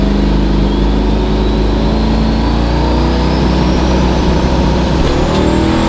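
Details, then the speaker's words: Nova drag run: loud engine pulling hard, pitch climbing steadily with revs rising faster than the car; shift light at 6500 rpm through the traps. Owner suspects converter slipping too much at top end. "I go through the traps pretty like my ship light comes on 6500 shift light comes on my converter must be slipping too much on the top definitely time for a new converter"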